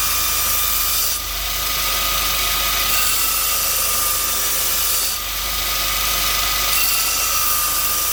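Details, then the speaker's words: Bench grinder with newly fitted linisher attachment, 80-grit belt sanding metal: even hissing rasp over steady motor whine, easing as each pass ends, no rattle; runs smoothly, fast, grit a bit aggressive. "It was pretty rough before, and it's, I think 80 grit's a bit aggressive for what I need for my job. I'll get some finer belts, but super fast."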